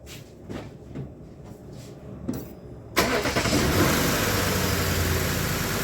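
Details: Lexus LS460 V8 cranking with a few clicks then catching into an uneven, lumpy, stumbling idle; misfire code on cylinder 5, traced to failed ignition coil E.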